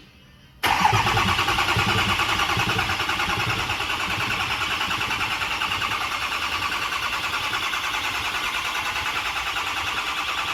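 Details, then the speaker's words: Freshly rebuilt diesel engine first fire-up after high pressure oil check (about 88 psi holding), run up to full operating temperature: fires straight away, settles to steady even idle clatter, no knock; sounds good, normal start and idle. "wow no it sounds good well it's all the way at the temperature I just killed it"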